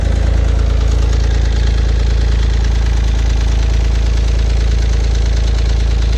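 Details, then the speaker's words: Honda J35 V6 from a 3G TL Type S rebuild, first start after cylinder head install: sharp, regular knock about 3.5 times a second over steady idle; something inside the engine knocking badly. "Well, what's going on here? Uh-oh. That didn't sound good."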